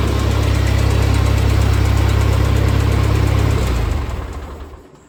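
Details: 1948 Ford 8N tractor idling in neutral after a full engine rebuild, with a new carburetor still to adjust; deep, even thumping idle at about four beats a second, then the engine shuts off and winds down smoothly, normal running.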